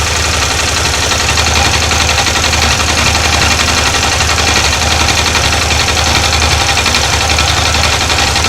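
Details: Yamaha TDM 850 twin at idle: uneven tapping knock about two a second that lessens with the clutch pulled and disappears in gear with the clutch engaged; suspected clutch noise, not confirmed.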